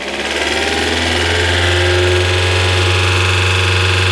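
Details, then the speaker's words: 1994 Mercedes W202 C220 starting after starting spray, with the fuel pump not activating at first: the engine settles to a fast, steady idle that won't drop; the idle speed is too high and the cause is unknown. "pourquoi il est aussi haut le régime s'active ça y est wou c'est chelou ce régime là"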